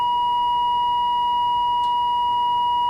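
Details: 1946 AWA 509M valve radio during alignment: a pure, steady tone of about one kilohertz holds an even level while a trimmer screw is peaked for maximum and the tuning capacitor is rocked; the alignment improved slightly, having been close to start with.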